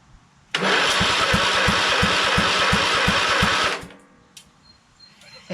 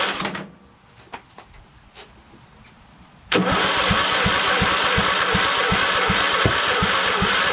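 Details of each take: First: Craftsman LT2000 lawn tractor with a Kohler Command engine swap, fuel shut off, key test of the solenoid, starter and wiring harness. Steady, even cranking with no firing shows the starter turns the engine over properly. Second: Craftsman LT2000 lawn tractor repowered with a Kohler Courage engine on choke, start attempt after sitting: starter drags slowly, under three compression beats a second, never catches; weak, dying battery starving the cranking, no start.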